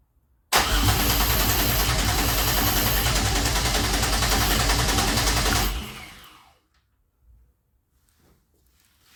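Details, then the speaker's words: 2004 Grand Am with 3800 supercharged engine and 5-speed swap, first start attempts with the intake boot off: the starter cranks steadily at about three and a half turns a second for five seconds with no firing at all, because the key was not on and there was no spark. "No. Alright. The key wasn't even on. No wonder it wasn't trying to spark."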